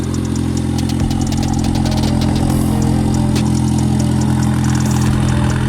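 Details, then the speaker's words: Honda Civic D15 with DIY turbo build, first start after oil pan, turbo oil feed and return, radiator and hoses installed: steady low drone, even idle, no knocks or misses, no leaks; running healthy. "No leaks. This thing sounds like it's running pretty good."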